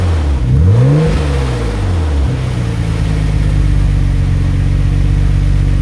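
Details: 1991 Nissan Skyline GT-R RB26 twin-turbo six with new stainless Blitz downpipe and Kakimoto resonator test pipe (cat delete): quick blip rising sharply and falling back to steady idle without stumbling; quiet exhaust, normal revving.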